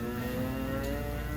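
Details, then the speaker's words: Washing machine going into the spin cycle, drum starting to wind back down: a steady motor hum whose smooth tone drops as the drum slows, no knocking or grinding; normal spin wind-down. "See how it starts slow and winds up? Same thing when it starts winding back down. It'll start to hear it wind down."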